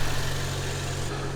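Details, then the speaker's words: BMW E93 335i N55 idling after replacing the spark plugs (23 Nm) and ignition coils, which had caused a misfire on three cylinders. Smooth, even idle with a steady low hum; the misfire is gone. "it definitely works the plugs have been replaced the misfire is gone"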